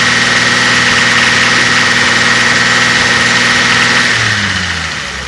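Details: Toyota 5M-GE engine at idle: fast, fairly regular tapping about four a second that fades as revs drop; owner unsure whether lifters, knock or slap.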